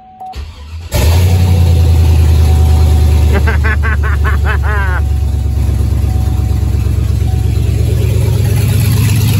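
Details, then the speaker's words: Chevy Avalanche V8, cold start after sitting overnight, catalytic converters removed with about four inches of open exhaust, only two O2 sensors connected: loud, deep, uneven rumble with a quick rev; sounds horrible, like a derby car. "sounds like I'm building a damn derby car I miss building derby cars um that still sounded horrible it was super loud and sounded horrible"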